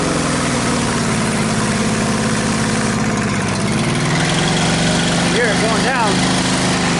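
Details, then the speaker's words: Honda GX630 on hot-water trailer pressure washer, stalls when trigger pulled: steady drone sags and labours as load comes on, recovers when released; owner suspects fuel delivery issue; engine bogs under load. "It seems to me like she's having a fuel delivery issue because every time I load her up, she she bogs down and then I let her let the trigger go, let her build up again, she bogs down and cancels right out."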